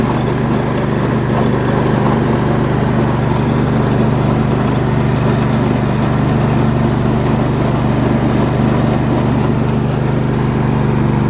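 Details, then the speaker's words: MTD riding mower with a freshly installed engine running steadily, with a loose irregular chatter underneath from a stuck idler pulley; runs poorly at first, then gradually better. "there's definitely a stuck idler under there you can hear it chattering"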